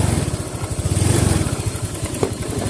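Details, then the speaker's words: Honda Vario 125 FI scooter that stumbled/hesitated when revved cold, as if fuel-starved; during adjustment, quick even firing climbs smoothly with throttle, no stumble or bog, then settles; throttle response now feels normal. "kita gas lagi nah jadi dia terasa normalah meskipun ini masih mati kita tes lagi"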